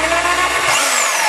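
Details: Dewalt DW321 saw after gearbox repair (it would not cut; clicking when first acquired, likely a flat spot catching under the bracket): steady, even high buzz from motor and blade with no clicking or knocking, now running normally.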